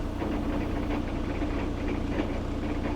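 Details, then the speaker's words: Ford Transit MK8 L3H3 diesel van, low miles; harsh grinding over steady diesel drone when clutch is pressed, in gear or neutral, and when changing down; owner suspected clutch release bearing, found failed flywheel. "As you change down, you get a pretty severe grinding noise as well, which is why I think it's something to do with the clutch or the clutch release bearing."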